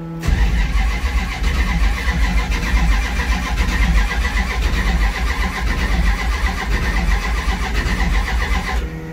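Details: Big-block Plymouth Duster, first start-up attempt: steady starter cranking with even compression pulses about nine seconds, engine never catches; crank, no-start, distributor timing adjustment next, cause unconfirmed.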